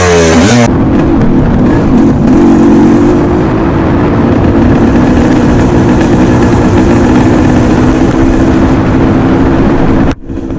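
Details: Restored 1989 Suzuki RMX 250 two-stroke dirt bike with a new, correctly jetted carburetor: crisp, even buzz holding steady with light throttle blips, no misses or rattles; running normally.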